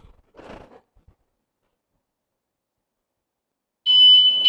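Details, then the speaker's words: Tuscany 150 scooter anti-theft alarm set to level 5, most sensitive, remote held away from the bike: a light bump sets off a loud, high, pulsing electronic alarm. "แค่ขยับเพียงนิดเดียวนะครับตอนนี้ก็สัญญาณกันขโมยก็ทำงานแล้วนะครับ"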